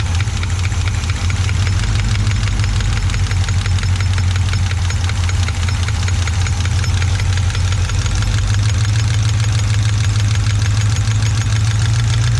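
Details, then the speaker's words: 1980 or 1981 Chevy truck, sitting about 29 years, after fixing a vacuum leak: deep rumbling idle with a quick, steady tapping at engine speed; valvetrain tick from a rocker stud pulling out of its threads, lifter or cam lobe possibly rough. "well then it seems that lifter or that camshaft lobe might be a little rough but it sure does look like that stud just keeps pulling out of there"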